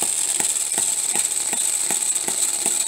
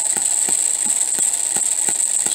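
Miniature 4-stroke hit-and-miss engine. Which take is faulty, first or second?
first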